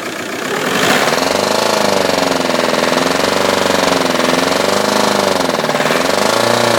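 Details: 2002 VW Golf GT 1.9 TDI PD150 (ARL) diesel: rapid hard knocking over the engine note when accelerating, fine at idle, starting only after about 5 minutes of driving; cause unknown.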